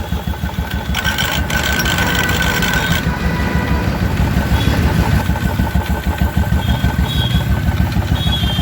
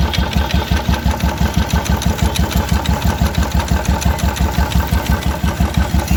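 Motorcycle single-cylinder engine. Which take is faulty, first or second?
first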